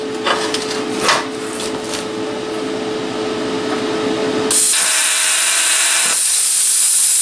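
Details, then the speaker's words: Cheap eBay plasma cutter nipping the corner off aluminum; sudden loud sharp hiss with crackling, rough uneven cut the first-time user says he butchered. "and i screwed that one up all right well it'll cut aluminum that's fine i am butchering it"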